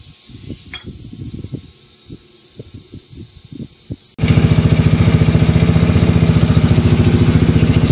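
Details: Mio Soulty scooter with a 59mm block, brought in for hard starting and carburetor overflow, head and carburetor removed and checked. After a quiet stretch the engine fires up and holds a quick, even putter of about 214 pulses a minute, running cleanly.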